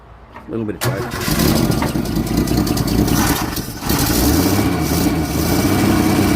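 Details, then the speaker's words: 1964 Holden EH ute, first start after a fuel pump swap (old diaphragm perished), cold, with starting fluid: cranks, catches quickly, runs evenly and revs cleanly on all cylinders, charge light out. Normal running and revving. "Sounds like she's running on all cylinders, which is great news."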